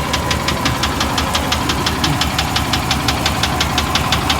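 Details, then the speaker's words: 1998 GMC Savana 2500 5.7 L heard from underneath: sharp regular knock about three per second over low engine rumble; owner first thought ticking, cause undetermined. "the ticking sound that i thought was a ticking sound is more like a knock maybe which is bad anyway you can hear it from here"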